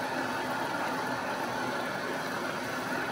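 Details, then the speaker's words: Manual lathe converted from three-phase to single-phase 240V via a VFD, taking a heavy cut on a big steel slug: steady, even cutting hiss with no chatter, knocking or bogging; normal cutting operation. "Now, we're into it. That's a healthy depth of cut right there. And it's not bogging at all."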